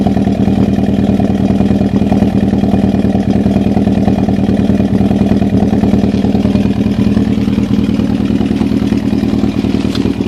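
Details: Toyota Celica ST202 at idle, rough lumpy exhaust note with a stumbling beat about three times a second; engine misfiring.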